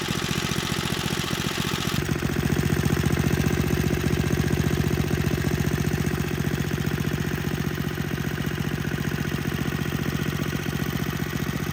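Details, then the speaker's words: Tecumseh HSSK50 single-cylinder engine from a stripped Troy-Bilt snowblower, which had missing head bolts and no compression, after a new head gasket and bolts: a steady, even fast beat with no misses or knocks. It runs very well. "and now we have an engine that runs very well that has nothing to power"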